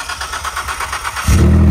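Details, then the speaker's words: Ford Escape after jumps: cranking whir, then engine catches into a loud, deep, raw unmuffled rumble like a straight pipe; exhaust leak from a badly damaged, mostly missing muffler. "good old ford escapes sounds like she's straight pipe now too"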